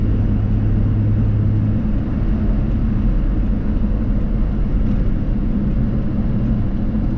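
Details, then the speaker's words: Small work truck cruising with the AC switched off: low, smooth engine and road rumble with no knocks or rattles, very quiet; a faint supercharger-like whine under the hood has always been there, owner thinks the AC pump. "Turn the AC off, and you can really hear how quiet the truck is now."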